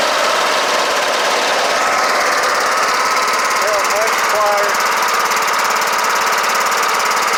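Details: Kohler Courage 18 hp on Troy-Bilt Bronco riding mower after valve cover resealed with cork gasket plus sealant; steady busy single-cylinder, even speed, no knock or miss, running clean; smoking stopped, engine mounting bolt still loose.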